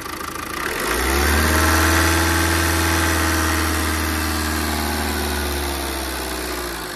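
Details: 2011 Tata Vista TDI diesel, 151,000 km, after a head gasket replacement for a compression leak causing overheating/boiling: starts after a second and settles to an even clatter near 3.5 beats per second, no misfire.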